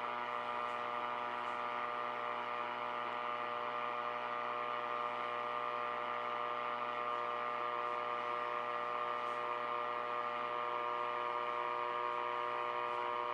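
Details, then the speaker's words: R5000 receiver on dusk, LED street lights nearby; constant buzzing hum with several fixed whining tones over steady hiss, RF interference suspected from LED street lights or neighbours' Christmas lights. "we're going to record time that the noise kicks in and you'll see for yourself what happens the amount of noise that comes in this radio coming on dark it'll blow your mind"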